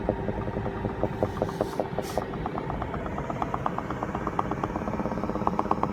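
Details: 2016 BMW X5 F15 running: quick crackling pops, roughly three a second and not quite even, over a low hum; bubbling/popping noise, cause not found.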